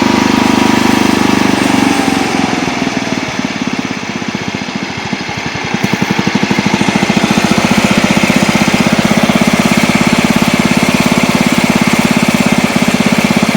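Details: Old Montgomery Ward Power Kraft riding mower, air filter off: single-cylinder engine dips briefly as the blade engages, then settles into a strong, regular beat while mowing, after earlier stutters in gear; healthy running under load.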